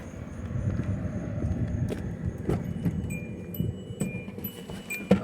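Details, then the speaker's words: 2008 Hyundai Accent 1.6 with heavy vibration and misfire codes P0301/P0302: low even idle rumble with no stumble or shake, keys jingling; vibration gone, engine smooth. "en el vehículo agua una gran diferencia la vibración que yo totalmente no vibra absolutamente nada"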